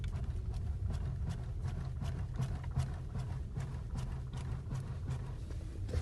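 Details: Skoda Superb mk3, 150,000 km: dull clunks in uneven bursts about every third of a second over quiet low rumble; worn, knocking steering rack.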